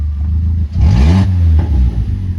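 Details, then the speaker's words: Vauxhall Corsa project car revved hard with its exhaust fallen out underneath and no muffler: a sharp rev swelling into a raw, booming, unmuffled bark, which is loud exhaust from the damaged, detached exhaust with the muffler missing. "Underneath, the exhaust has fallen out, which means the Corsa makes this hideous noise because there's no muffler, nothing."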